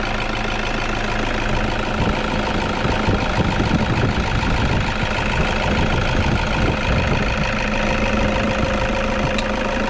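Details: Toyota Vigo pickup engine at idle: rough, uneven rattle and hum at the engine front from a failed alternator overrunning pulley, which also stopped battery charging; fixed by fitting a new genuine pulley.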